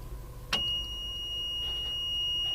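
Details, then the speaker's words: Cummins NHC250 truck with a home-built pre-lube oil pump: a click, then a loud continuous high-pitched buzz once the ignition is switched on before cranking; normal ignition-on warning buzzer. "turn the ignition on and begin the world's loudest buzzer"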